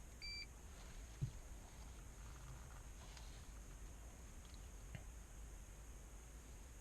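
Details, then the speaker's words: Nissan Altima airbag warning light, multimeter continuity test between driver airbag wire 28 (lime green, positive) and wire 30 (yellow, ground): brief steady high beep shows the harness wires are shorted, likely damaged wiring. "Do you hear that? So this is the evidence that is shortening between the 28 and 30. Yeah, this should not happen."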